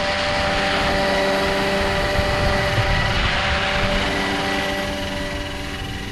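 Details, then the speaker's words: RC Roban Bell 407 helicopter in flight after re-gear with new gears: smooth steady rotor and motor hum, no gear whine or grinding; much quieter than before, healthy gear mesh. "woo that's a little windy but that is definitely quieter much quieter [Music] I don't hear gear noise in that"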